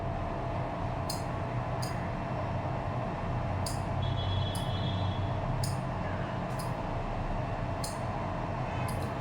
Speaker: So if you're keen enough, you can hear a sound that is produced when I'm trying to turn on or off the relay. So that sound is because of the movement, the mechanical movement inside the relay.